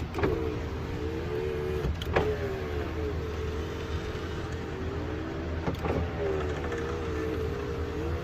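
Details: 1995 Ford truck power window motor runs with a smooth, even hum over the idling engine and a clean thump at each end of travel, after the motor was removed and the door cleaned and greased; it previously stuck partway and made strange noise.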